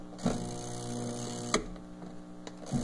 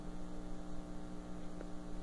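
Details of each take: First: Twin-tub washing machine (tanquinho) that stopped washing and leaks: steady low electric hum in short bursts with clicks and rattles as the motor strains to turn a seized agitator. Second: Twin-tub washer (tanquinho) that kept stopping mid-wash and leaking water, motor run with agitator (blue part below) disconnected; steady low electric hum, spins light and free with no rubbing.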